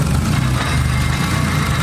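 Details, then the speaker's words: Drift car just after new clutch master cylinder and line fitted and bled, idling with clutch pedal pressed: loud rough idle with low rumbling drone; throwout bearing sounds bad, though clutch now works. "that sweet sound of that that throw bearing sounds bad but that that indicates that the clutch is working"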